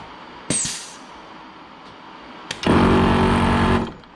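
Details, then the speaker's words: 15-year-old ARB CKMAT12 twin compressor on a Jeep CJ after one-pump rebuild with kit 320303 and new fuse, lockers engaged: short steady buzzing run starting and stopping cleanly; fan noise only, no leaks, normal. "i wasn't sure if there was an air leak but it's clearly just the fan cooling"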